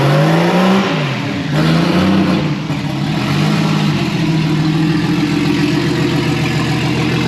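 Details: First start this year of a newly wired RB20DET straight-six in a Datsun 240Z: it catches and revs cleanly, pitch climbing and falling with each blip, then settles to a steady idle with no knocks.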